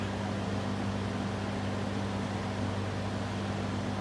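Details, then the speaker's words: Vintage LAU Niteair 20-inch window fan, circa 1950-53, variable speed, exhaust only, on high speed: a smooth, steady motor hum under an even rush of air, fairly quiet, with no ticking or scraping; normal running. "runs really well for change fairly quiet too"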